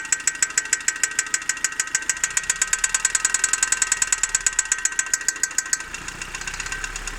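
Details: Opel Zafira A OPC engine at idle: sharp, light metallic tick about three times a second over the idle, steady; engine ticking, cause unclear.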